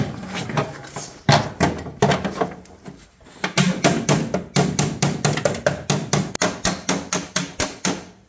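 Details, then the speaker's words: 1972 BMW 2002 bodywork, hammer on dolly: crisp, ringing metallic taps, about three a second and quickening, each sharp and clean, showing the metal sits flat against the dolly heel; solid hammer-on-dolly ring. "so did you hear that sound yeah I was just going to say right that's the sound you want and that's telling you that this area is flat up against the heel"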